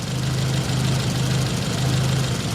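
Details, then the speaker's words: Nissan 200SX (S12) engine with ignition problems, dual coils: exhaust-side computer signal swapped to power the intake-side coil, and it runs awful, a lumpy stumbling idle with dropped firings; owner wonders if the intake coil is fried. "so now what we want is to power the intake coil with the exhaust signal like crap that's awful so it runs like dog dooo running on the intake coil I wonder if we fried the intake"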